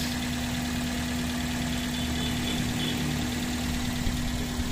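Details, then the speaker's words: Toyota Altis 16-valve automatic in drive after adjusting idle: even, steady low drone with no stumbles or misses; normal idle after repair. "ngayon naka Drive tayo yan ang idle ni sir so sa mga bios altis Normal lang yan Dapat diyan talaga yan tatapat toos"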